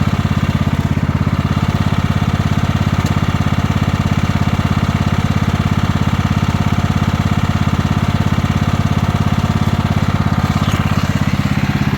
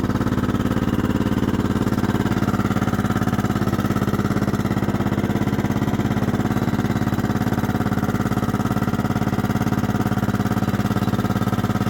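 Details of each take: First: 1998 Kohler Command 16 hp lawn mower engine, slight oil drinker, parked a year, clanky when cold: warmed up, steady, even single-cylinder idle with no knocks, misses or rattles; normal warm idle. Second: 1998 Kohler Command 16 hp lawn mower engine, a slight oil burner parked about a year, idling cold: an even light mechanical clatter about three a second, clanky as usual when cold or after sitting; expected to quiet once warm.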